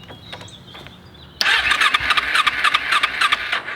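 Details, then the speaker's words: Kawasaki Ninja 250 with full tank, cranking on choke, fuel leaking from a hose toward battery; harsh fast starter whir with odd catch, never fully fires; hard starting, cranks but does not catch. "when you crank you turn on the choke and you can see it wants to start"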